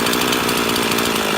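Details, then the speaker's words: Two-stroke chainsaw with a centrifugal clutch and H, L and T screws, idle being adjusted. It holds a fast, raspy idle with no drop-off and the chain still wants to advance; the idle speed is set too high. "you'll see how changing the idle can change the way the lowered the high idle. You can probably hear it. You also see that chain still wants to advance a little bit."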